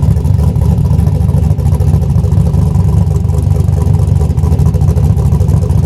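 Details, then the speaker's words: Junkyard-rescued old Buick Skylark idling after reconnecting the battery, possibly low on gas: steady low rumble with even, unhurried beat, no knocks or misses; normal healthy idle. "Sounds good, man."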